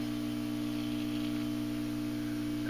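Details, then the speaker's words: National NC-60 Special AA5 radio receiver being brought up slowly at 62 volts, drawing 0.12 amps, warming up: strong steady low hum with a buzzy overtone. Loud mains hum, with a filter capacitor problem suspected. "still at 62 volts and it's humming pretty i loud that's probably a filter cap problem as loud as it's humming so let's go a little bit more"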